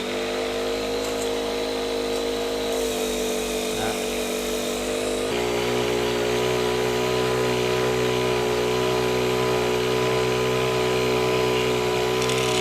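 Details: Honda WJR4025 backpack sprayer, GX35 four-stroke petrol engine, spraying about 10–12 m high; steady, even buzz with no misses, surging or rattles. Praised as soft, smooth Honda sound; healthy normal running under load.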